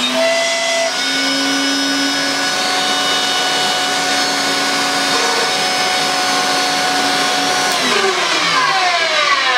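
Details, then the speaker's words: Electrolux Twin Turbo Z522 vacuum, very late model, before refurbishment: high motor whine with a rough, grating, wavering edge; brush roll removed and noise still present, so a worn motor bearing, hoped to be the serviceable top bearing. "There is definitely a dodgy bearing somewhere, and I've had the brush rolled out. When James was here, I lobbed the brush rolled out just to see if I could pinpoint, and it is definitely coming from the motor."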